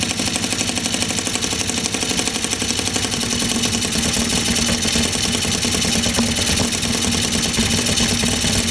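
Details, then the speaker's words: Scooter after 50cc to 70cc big bore kit, first start after rebuild with head bolts done, carburettor refitted, old gasket cleaned, about 40 degrees ambient, cold engine; quick crackly two-stroke buzz holding steady at idle, no knocks, starts and runs well. "but he runs and starts and stops off it sounds pretty mean"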